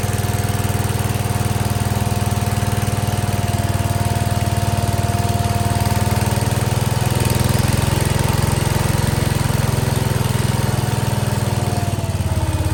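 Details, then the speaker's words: 1968 Case 155 garden tractor, sat over 20 years, just revived; generator light went off with throttle: smooth, steady low thump at idle, holding an even pace without hunting or missing; normal idle. "man listen to an idle that's crazy sitting that long these old engines and tractors never cease the [Music] amazement"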